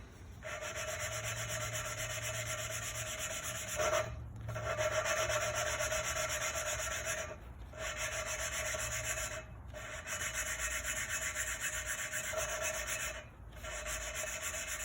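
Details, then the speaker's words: Hand-lapping a new valve into its seat on a 2008 Dodge/Chrysler 2.7 V6 head, after valves were bent by a timing-chain failure. A steady gritty rasp with short pauses as the compound cuts, then it turns smooth as the seat beds in. "You can hear it too. It's the grinding going on, then the grinding stops and it gets smooth."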